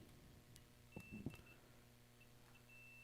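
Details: PS5 that beeps once but won't power on: thin high multimeter beep in short broken bursts between probe taps near blown F72 fuse, showing a short to ground; continuity beep indicating short to ground.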